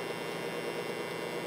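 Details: Modified, overdriven variac on home-made ballasted power strip, heater ballast stopping it pulling too many amps and burning out; loud steady unbroken mains hum with buzzy edge, at about 0.01 V output just after switch-on; later tops out about 204–206 V.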